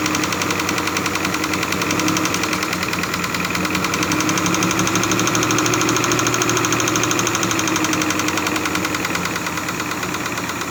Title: SUZUKI F5A DEFECTED CAM SHAFT KNOCKING SOUNDS